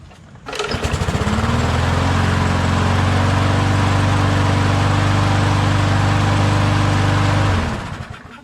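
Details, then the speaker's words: MTD push mower engine starting quickly and running at a steady, even speed after its oil-saturated air filter sponge was wrung out and cleaned; before that it started with a very slow idle. "the uh air filter sponge was saturated with oil rang it out cleaned it put it back in here this thing starts on the champ"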